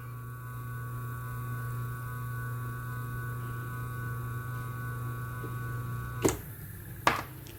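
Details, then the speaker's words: Motor back on its original 25 µF run capacitor: a steady, even hum with no wavering, then two clunks as it stops. Running is flat and smooth, showing roughly 90° phase shift between the auxiliary and main windings, with no droning. "Então a gente vê que fica um funcionamento plano, ele não dá variação. Aí sinal que a defasagem da auxiliar e da partida está dando uns 90 graus certinho."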